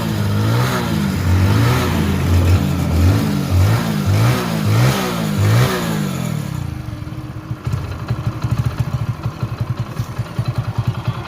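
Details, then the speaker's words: Hero Passion Pro after full engine rebuild: crisp repeated throttle blips rising and falling cleanly, then a steady even idle with no knocks; sounds far better than before the work, healthy. "అంత first వచ్చిన sound కి ఈ sound కి అయితే చాలా అంటే చాలా తేడా ఉంటది."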